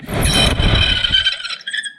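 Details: 2006 Vauxhall Corsa C 1.2 heater blower, only working on speed 4 and noisy, run off a 12 V battery: shrill squeal over a rumbly, stiff spin then fading stop, from a dry motor bearing.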